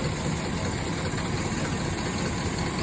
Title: 4.8 LS has misfire. SOUNDS LIKE A DIESEL PLEASE HELP